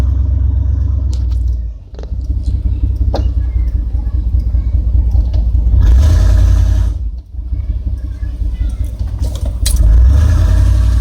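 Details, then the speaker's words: 1994 GMC Sierra 3500 5.7L automatic that stopped upshifting past first after a transmission fluid change, heard after a speed sensor swap: the engine drones at a steady high pitch on the road and never upshifts, so the speed sensors are ruled out. "alright now we'll see for sure it's just the transmission of the speed sensors still doesn't want seem to shift"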